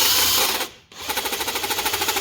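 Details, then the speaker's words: Shop impact wrench running: rapid hammering at about thirteen blows a second, harsh and clattery from the front nose; grease has been pushed out and the anvil is running dry; the fix is to clean and re-grease it. "All that noise is out of the front. I've had this issue on mine before. The grease just gets pushed out of here and it starts making that noise."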